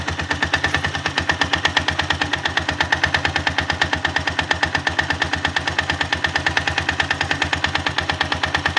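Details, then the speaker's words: 162FMG engine: loud, fast, regular metallic knocking, roughly three per second, quieter when tilted to one side; pronounced internal knock, source not yet pinned down. "стук двигателя. Из-за чего может быть?"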